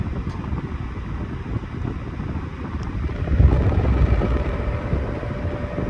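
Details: 1991-92 Patton 12-inch high velocity fan, non-capacitor motor, after oiling the front bearing only: steady rushing airflow on high speed with a low, even motor hum and no ticking or grinding; the fan runs normally.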